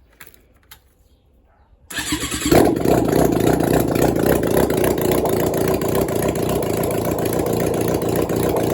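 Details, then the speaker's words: 1996 Suzuki GSX600F after an engine swap, carbs hooked up to the tank, restarted after a short first run. Quiet, then catches within a second and settles into a smooth, even idle with no misses: starts easily, healthy. "Yes, and she starts up really easily even after the short run, which makes me really happy."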